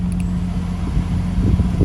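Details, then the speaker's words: 1996 Lexus GS300 heater/AC blower motor, just replaced with a junkyard unit, AC on: soft, steady low hum with airflow rush, no squeal or rattle, quiet and blowing cold; normal running after replacement. "oh so much better no more oh dude that's so much better oh it blows pretty pretty good too"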